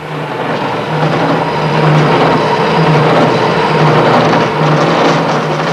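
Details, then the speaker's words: Milling cutter with a badly fitted split phosphor bronze bearing gives a rough, rattling cut with an uneven low hum pulsing about four times a second: chatter, leaving a ragged result. "can see the ragged result this is known as chatter"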